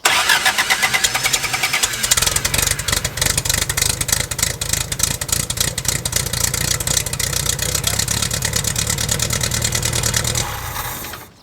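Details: 1969 Lotus Europa S2 barn find, stored 15 years, started on starter fluid and a little gas: catches quickly, steady even firing with a couple of revs; water likely just in the header, now running well.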